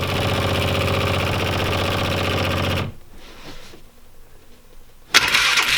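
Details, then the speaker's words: 2005 Polaris Ranger 500 UTV, sitting, in neutral with choke on: starter churns about four beats a second for three seconds, never fires; cranks but no start, cause unknown; air filter to be checked for mouse debris next. "let me just show you guys how it cranks let's just cut to the chase and do that"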